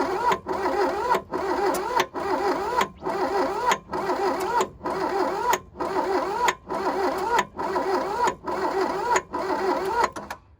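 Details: 1982 VW Rabbit diesel Caddy pickup, sat 20 years, glow plugs wired on full with heavy blowby: even cranking bursts about once a second with a few sharper pops, trying to catch but never runs.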